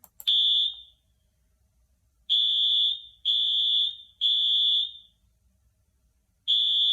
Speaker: the correct answer is one a school firewall if the fire alarm goes off in your school you need to listen up to your teachers and staff